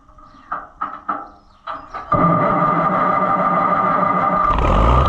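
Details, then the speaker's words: Oliver 77 tractor on startup just after a new radiator was installed, with coolant still burping air. Catches after a few cranks, then a steady high squeal rides over the run: fan belt slipping badly before airflow comes good. "Good airflow. It took a second though, the fan slipped pretty bad and then it finally"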